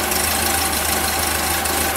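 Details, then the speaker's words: 1974 VW Super Beetle, air-cooled flat-four, first start after rebuild and engine swap, running on old fuel after enlarging the carburettor jet; steady, even idle without misses, knocks or hunting, runs better than ever, even compared with on the stand. "actually it runs pretty damn good when did you ever see it do this before did not yeah never not even when we had it on the stand"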